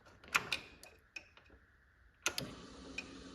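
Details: John Deere 445 tractor with crank no start and no fuel pump operation; sharp scattered dry clicks with engine off, relay chattering on and off intermittently under a 12 V test light.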